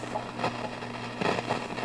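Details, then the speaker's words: Marshall DSL 40CR tube guitar amp bought used: steady hum with irregular low crackling pops that grow louder as the tube warms; one output tube has failed, though the amp still plays. "So sometimes it makes a louder pop, but there it is. Let me play guitar through it real quick. But it's making a kind of low popping sound."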